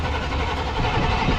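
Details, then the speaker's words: Chevy Suburban with TBI fuel injection and a known hot-start problem: steady starter churning runs on long before the engine catches; long cranking before start, owner suspects a weak fuel pump slow to build pressure. "It does start. It's just, it takes forever for it to get pressure."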